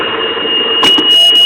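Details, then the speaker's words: 2002 Sea-Doo GTX, engine running: continuous high-pitched low-oil-pressure siren persists with front sensor jumpered to ground; oil pressure verified by gauge, wiring fine, rear oil pressure sensor faulty, not pulling 5 V reference to ground, giving false alarm. "I got a jumper wire hooked up the battery negative and I'm just going to put it right in Black here on the front sensor the alarm is still going you can hear it it's driving me insane"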